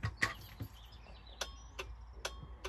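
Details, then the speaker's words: 2023 Auto-Trail F-line F70 motorhome drop-down bed, new van: sharp dry clicks about two per second with no motor running, bed won't move after working first night. "last night 10 o'clock nothing it's giving something you can hear it clicking but the bed is just but it won't move not moving which is not good when we're going away next weekend for a week"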